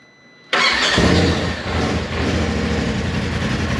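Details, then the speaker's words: 2018 Polaris RZR XP Turbo, initial startup after replacing the failed turbo with an OEM-spec unit: catches first crank with a quick flare, settles to a smooth even idle, no ticking, rattling or whistling; healthy, no smoke. "Good, sounds healthy. No smoke coming from anywhere."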